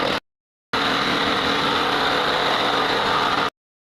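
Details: Generator that had been stuck and would not start, after repair: after a short cut, a steady, even engine drone holds with no misses or knocks; running smoothly.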